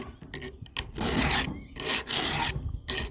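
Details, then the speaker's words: Filing an unsharpened cutter on the chain of a 20-some-year-old 880 chainsaw: rasping strokes about once a second, rough and grabbing on each pass as the file catches the dull tooth. "And here's one that ain't sharpened yet. Hear that? And it's catching you to do"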